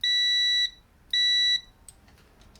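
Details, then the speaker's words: Multimeter in continuity mode, tested before checking lathe switch terminals for a VFD install on an old Colchester lathe: two clean steady high-pitched beeps about half a second each in a quiet room; meter working. "so I know that meter's working, it's beeping."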